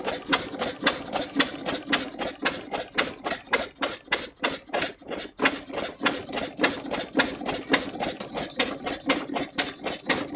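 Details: Large-scale Edgar T. Westbury Wyvern open-crank stationary model engine, probably built around 1985, started using the choke: sharp, even ticking exhaust about two beats per second with a crisp rattle on top; running smoothly.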